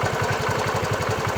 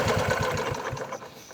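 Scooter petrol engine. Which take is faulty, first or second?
first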